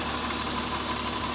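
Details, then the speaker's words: 2004 Honda Pilot after crank-no-start with grinding, caused by loose starter bolts backing out; bolts retightened, no new starter: steady, even idle with smooth hum, no grinding or misses — normal idle. "the Honda is back to running now"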